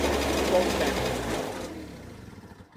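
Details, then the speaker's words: Peugeot Speedfight moped: buzz falls in pitch and loudness on throttle, then stumbles, bogging down; cause unknown, owner suspects CDI/timing. "But no. Ready? That's bogging down. Hear it? That's bogging down."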